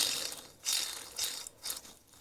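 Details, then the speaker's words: Vintage Sentinel steam wagon power take-off being stripped and evaluated: bearings hand-spun give a dry, gritty rasp that fades as each spin slows; noisy bearings, though judged likely to run forever. "And those bearings are rather noisy. They would probably run forever."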